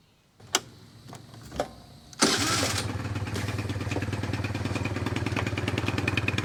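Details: 2004 Kymco Super 9s 50cc liquid-cooled two-stroke scooter, revived after a year sitting (trouble traced to a wasp nest), kickstart tried while bleeding coolant: a few sharp cranks, then a steady, even, fast buzzy idle; running fine.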